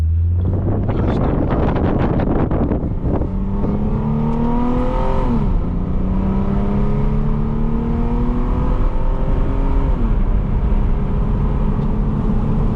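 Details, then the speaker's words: Lexus IS250 after an intersection crash, with fender liner and panel cut away, test drive after about an hour running without overheating: smooth rising engine tone through the gears, steady road noise, no scraping or rubbing from the wheel. "You see it works fine. There's no more rubbing, which is good."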